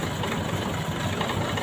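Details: Four-cylinder petrol engine idling with all spark plug leads fitted, a steady, even low rumble with normal vibration, used as the baseline before pulling each plug lead to check the plugs fire.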